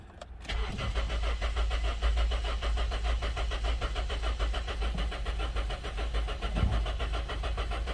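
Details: Honda towed in with no start and no spark: starter churns the engine over at an even pace for several seconds but it never catches; cranks, no start.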